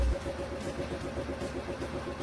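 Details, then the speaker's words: Motorcycle that would not start on the electric button because the battery read 11.84 V; after charging the battery to 13.1 V and refitting it, it starts from the button: small single ticks over at even steady idle, no misses or knocks; normal idle. "Listo, la moto queda encendiendo de nuevo desde el botón eléctrico."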